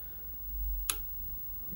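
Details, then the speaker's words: Samil Power Solar River 3000TL grid-tie inverter after replacing a blown fuse behind its "No Utility" fault: two sharp clicks about a second apart over a quiet hum as the grid-connect relays pull in normally, then producing about 140 watts. "things clicking relays clicking normal 14 96 141 watts"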